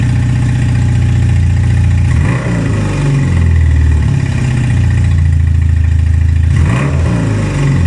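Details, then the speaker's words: 1978 Honda CB250 Twin after carb rebuild: revs up and drops back unevenly with a lumpy low burble between blips; now takes revs instead of sputtering, but idle and CV carbs still need tuning and new jets. "so sadly we did not get it running perfectly but we did get it running which was the goal of this episode"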